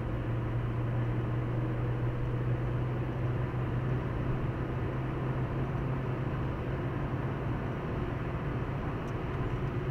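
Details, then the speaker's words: 2015 Hyundai i20 road test after replacing brake pads and discs on both sides: steady tyre and running gear rumble with no knock or whine; earlier vibration above 120 km/h and noise gone. "şimdi yok dedi ustamız titreme gitmiş bu ses var yok Oltu vardı değiştiği için o da yok diyor"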